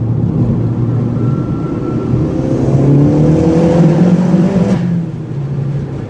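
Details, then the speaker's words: Vauxhall Corsa VXR after coil pack replacement: engine note climbs smoothly through a hard pull on boost then eases off, no misfire, hesitation or cough as before; coil pack fixed it. "As you can see, the car pulled fine. I've done a few little pulls, as you can see. No misfire, no hesitation, no sort of coughing like it was doing before."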